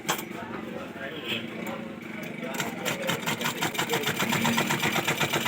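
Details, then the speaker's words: Sewing machine running before repair, repeatedly breaking needles and thread; fast even clicking with hard metallic ticks as the needle breaks. "ये आपके सामने मैं जैसे सिलाई machine को चलाता हूँ तो ये सुई तोड़ देती है।"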